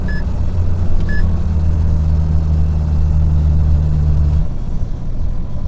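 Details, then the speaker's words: Euro 5 truck diesel while driving, compressor pumping when brake pressed: steady deep drone with low hum cutting off after about four seconds; loud air compressor noise, driver unsure whether it is safe. "это чтобы полный газ не нажимать компрессор шумит шумно вот работает компрессор чувствуется прям"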